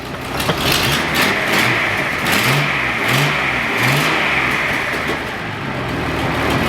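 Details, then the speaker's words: Datsun 240C petrol engine after new plugs, points, rotor and cap to cure a misfire; blipped revs now rise cleanly, though an exhaust manifold leak remains. "That's good now, like listen to that. That's awesome. That's so good now."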